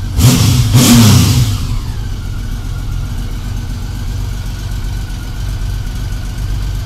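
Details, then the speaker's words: 1999 Honda Valkyrie Interstate flat-six after carburetor rebuild and reinstall, previously lean and struggling at idle; sharp throttle blips then smooth even idle about 1000 rpm, no popping; runs normally now. "idle's right where we want it about 1K"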